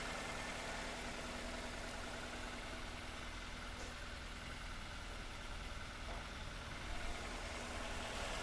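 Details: Toyota Avanza/Daihatsu Xenia that overheated, with coolant pushed into the reservoir: steady idle with a slightly lumpy beat under the exhaust hum; head gasket later found burned through and cylinder head warped.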